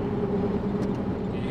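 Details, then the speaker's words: Mickey Thompson Deegan 38 mud-terrain tires on a 1990s Ford F350 with a 7.3 Powerstroke, in-cab at about 60 mph in the city: steady low droning tire hum while coasting with little engine noise, winding down to a dull roar under braking; normal. "them humming all by themselves with very little engine noise and then as I break you hear it kind of wind down to a dull Roar"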